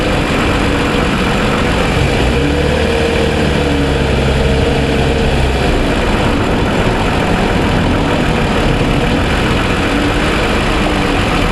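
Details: 2007 Toyota Sienna, fully warmed after about 45 minutes of driving: deep, even idle with a low steady rumble and no obvious ticking, unlike its cold-start ticking (suspected piston slap, under powertrain warranty); normal warm idle.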